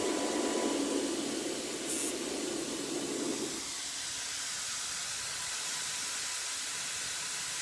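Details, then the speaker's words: CPAP machine blower after its cracked impeller disc was replaced with a 3D-printed press-fit part, fan not yet balanced: steady airy hiss settling to an even rush, slight whine, no wobble or rubbing; working well. "all right it's all back together fire it up she's whining a little bit i haven't balanced the fan yet but uh it's working excellent and to be honest the line isn't that loud at all"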